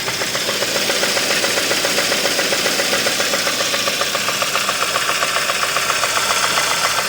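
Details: 2015 Kia Optima 2.4 with flashing check light, low power and code P1326: steady evenly spaced metallic knock over idle, absent before a recent oil change; deep bearing knock, possibly from low oil, unconfirmed.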